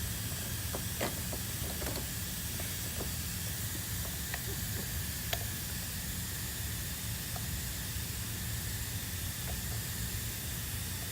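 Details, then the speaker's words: Leak-down test with the piston set at top via the crank pulley and pressure held; a steady airy hiss at an even level with no surge. About 10 percent leakage past the piston rings, normal. "you just gonna hold it and see if it loses any pressure but if it does lose any pressure it's only because there's air gaps in between the piston ring"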